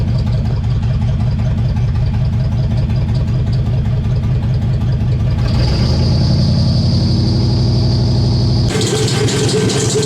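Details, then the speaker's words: LS-swap engine on first start: rough, lumpy idle with an uneven stumbling beat, about 2.5 per second. The misfire was traced to the coil pack being mounted upside down, putting the coils out of order. "So a minute ago you seen how bad it was running, right? Good thing there's a lot of people that do these swaps, because I just found out what happened was, you'll notice my coil pack is upside down."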